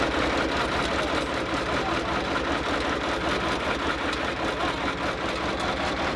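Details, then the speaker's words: Diesel service truck engine, running before being pulled: ragged, uneven idle with loose irregular knocking about 2.5 per second, clearly struggling; owner suspects fuel system trouble, possibly failed high-pressure pump, and a bad head gasket since it ran hot. "well my friends we got her started but uh this engine is sick it's either got uh some serious issues with the fuel system I think the high pressure pump might be toast"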